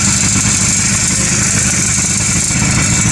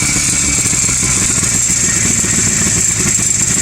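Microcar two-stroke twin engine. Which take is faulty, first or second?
first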